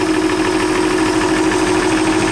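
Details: Ford 300 inline-six after cylinder head removal, reinstallation and valve adjustment: a steady idle with an even mid-pitched hum and regular firing, with no clear knock or miss. It runs smoothly.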